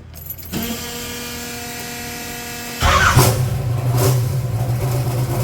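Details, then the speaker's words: Gen 1 small-block Chevy in a 1980 Trans Am with a blow-through carb turbo, first start after replacing valve seals with the engine in the car. Brief cranking, then the V8 catches into a lumpy, steady idle. Normal start-up. "It's probably going to smoke a little on this first initial startup, just because from them old seals, there's probably still oil down in the cylinder, but let's give it a go."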